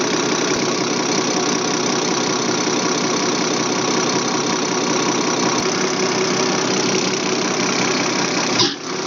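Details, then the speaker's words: Remanufactured Bosch A-size inline injection pump for a Deutz 6.1L BF6L913C engine (Case 170B excavator) on the test stand, set to 325–326 at 6.8: steady, even high-speed hum and rattle until it spools down. Running properly. "now we're actually going to set 325 326 which is fine at 6.8 we're going to scream this bad boy"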